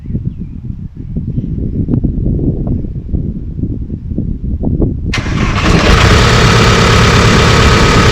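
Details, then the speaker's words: Mk2 van with only a downpipe fitted and several parts loose, after long dry storage, first start: starter cranks about five seconds, then a loud, uneven, rattly run; rough running, owner suspects engine mounts, long dry storage or parts knocking, unconfirmed. "i'm calling that success sounds like crap though i'm well shaft sounds terrible though so i've got to try and work out what that is"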